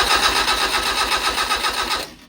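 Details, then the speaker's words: 1200 cc five-bearing Hillman Imp engine with an experimental Coventry Climax FWH head, cranked with plugs in, no fuel and the throttle held slightly open: the starter whirs with evenly spaced compression pulses and none weaker, so compression is even. "that sounds perfect that mate sounded even to me anyway"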